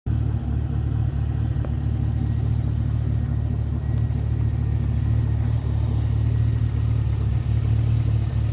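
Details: 2010 Chevrolet Camaro SS V8, 106,000 miles, poorly maintained by previous owners: steady idle with a light, quick tick about four per second, consistent with a noisy lifter.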